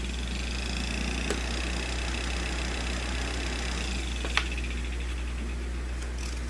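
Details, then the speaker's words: Old window fan after repair of a motor that had overheated and would not spin (cleaned, reseated): steady, even low hum with no rubbing, scraping or rattle; much quieter than before, all three spinning freely. Normal fan running. "Wow, it's much quieter than it used to be. Very cool. There you go. It's all fixed. All three of them are spinning."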